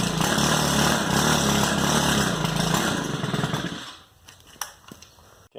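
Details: Stihl FS110R string trimmer before carburetor replacement: raspy two-stroke runs flat, bogs and won't rev up, then dies; fault blamed on the old carburetor, fixed with a new one.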